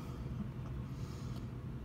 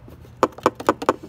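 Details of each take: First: 2016 Kawasaki Vaquero/Voyager 1700 after refitting a loose clip under the radio inside the fairing (zip-tied via the hole): steady low engine rumble, no buzzing or rattle from fairing panels; now doesn't vibrate at all. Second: 2016 Kawasaki Vaquero/Voyager 1700 fairing: a loose clip under the radio, meant to sit in a hole, makes light plastic clicks about four a second inside the fairing; fixed by removing headlight or speaker pocket and zip-tying it.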